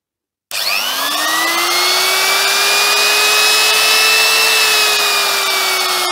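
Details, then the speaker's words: Makita double-insulated electric trimmer tested on an appliance tester; spins up quickly to a smooth steady whine, even pitch, no rattle or grinding, runs nicely with good torque and tests fine. "That sounds pretty good. It runs nicely. It's got a bit of torque, so there's a fair bit of power there."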